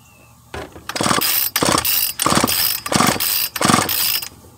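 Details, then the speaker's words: Craftsman 42cc chainsaw that only starts when held at full throttle: five pull-over bursts with no firing. First compression reading was falsely raised by carb-cleaner spray left in the cylinder; the re-test read 70 psi. Low compression, weak worn engine. "si se fijó tenía un poco de compresión porque era el limpiador de carburador que el spray amos estaba todavía dentro del cilindro"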